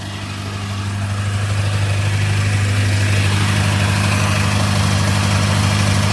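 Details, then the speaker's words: Acura TSX with a custom exhaust using stock mufflers, warming up: a steady idle with a light, fast rattle about three per second, alongside a known heat shield rattle. Rattle at idle; owner suspects the clutch throwout bearing, cause unclear. "What the hell is that rattle? Ah. I'm hoping it's the clutch. Oh, so the input shaft bearing. Not the input shaft bearing, the throwout bearing."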